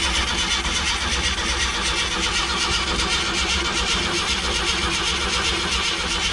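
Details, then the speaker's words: 1966 Grumman Ford box truck, sitting 29 years, gas line disconnected at the filter: steady starter cranking at about 2.5 turns per second and it never catches. The fuel pump delivers nothing, so there's no fuel and no start. "it doesn't pump anything out of the filter over there where the gas line was disconnected and it doesn't fart it doesn't run"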